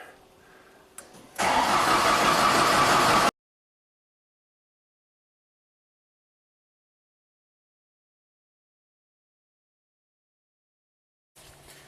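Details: 2000 Genie S60 four-wheel-drive boom lift, sitting for years: about two seconds of steady starter cranking with no firing, then silence.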